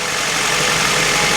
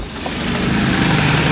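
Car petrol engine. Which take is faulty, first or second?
second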